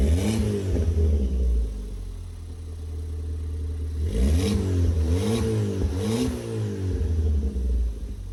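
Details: Ford Fiesta ST180 just after in-tank fuel pump replacement, running with exhaust back box removed, no engine warning light; engine blips cleanly through several rev rises and falls, pitch smooth with no knocks or misses, healthy.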